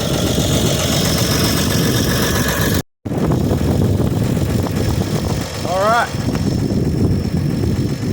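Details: 1955 Chevrolet 6400 series truck, unrun for two years, old inline six idling with a light, even rattle, normal for this engine type.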